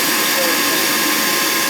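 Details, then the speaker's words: Ruud gas furnace about 27 years old, noisy in a damp basement; after lubing the blower, with igniter glowing, it sounds like it's supposed to: steady, even whoosh, no squeal, rub or rattle; normal operation. "Sounds better. It does. It sounds like it's supposed to sound."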